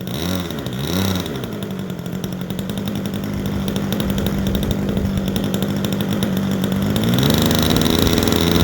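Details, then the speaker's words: Super Tigre 90 glow engine in a Super Chipmunk model plane: a steady, slightly blubbery drone that rises in pitch when revved. It is running rich, two clicks richer than its stored high-speed needle setting. "that's still two clicks richer than where it was set when i put it away"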